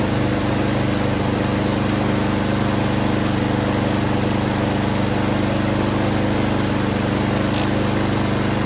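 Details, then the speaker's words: Troy-Bilt TB240 push mower with Honda engine after carburetor replacement: steady, even drone holding one speed without surging or hunting; running smoothly at governed speed. "There we go. That's better. Let's try that again."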